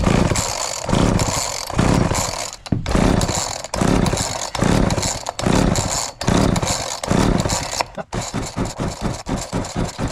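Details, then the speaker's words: Homelite 240 chainsaw, owned about 20 years and long unused, with fresh fuel added and apparently no primer. Repeated pull-cord yanks, then quicker short pulls, bring no firing at all. The owner suspects the carb, though the title says it wasn't the carb. "all right it's not even hitting I think we got to take out the carb"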